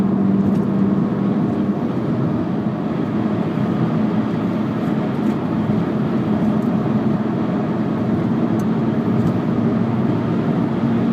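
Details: VW Jetta while cruising: a steady low hum at a constant pitch under the road noise; owner suspects a bad rear passenger-side wheel bearing, not confirmed.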